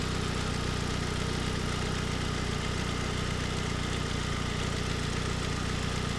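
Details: 2007 Ford Focus SE 2.0 after replacing tensioner, idler pulley and serpentine belt, warm after a couple of minutes: steady, even low hum with no belt squeal or chirp, quieter than before; normal idle.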